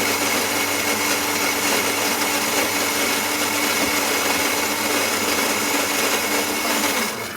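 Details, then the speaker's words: Philips EP4346/70 espresso machine, returned from warranty repair unfixed: pump drone under strong steady hiss and bubbling during brewing; shots dispense only 20–33 ml instead of 40 ml, making weak coffee. "so you hear that hissing bubbling noise again as it bruis there it goes okay just let that finish"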